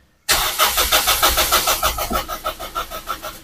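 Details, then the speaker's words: Toyota Vios, cold engine: strong, even cranking at about three turns a second for three seconds that never catches; no fuel pump hum was heard under the passenger seat, so a fuel pump not working is suspected. "Oke, untuk starternya ini enggak ada permasalahannya, untuk starter itu aman, kenceng, harusnya ini mau hidup ya."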